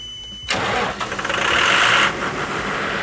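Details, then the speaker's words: Kohler commercial diesel standby generator with a full fuel tank, started via the 3-position start-stop switch during a pre-storm test: cranks about 1.5 seconds, catches and settles into a steady even run; clean, healthy start. "So at this point we're going to go ahead and start the engine. We're going to move the 3-position start-stop switch to the off position, and then we're going to flip it to run, and it should start."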